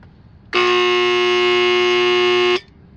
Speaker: here's what the pool pump sounds like when you're trying to start when the bad starter capacitor or run capacitor